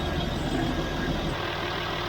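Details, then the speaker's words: Land Rover Discovery 3 (LR3) diesel after replacing an aftermarket FAI oil pump with a new OEM Ford pump for low oil pressure; cold oil, no startup rattle. Steady, smooth idle with even low rumble, no rattle or knock; normal idle, sounds better than before. "so i gotta say right now the engine does sound better like before but you know this is with cold oil"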